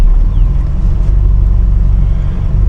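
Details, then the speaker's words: Continental Mark III that sat a long time, just after transmission install; deep, lumpy, loping idle; needs a tune-up, choke suspected stuck and running rich, exhaust manifolds leaking: rough idle. "she's running really rough right now I don't know if you can hear it she's yeah she's she needs a good tune up it's been sitting for a long time"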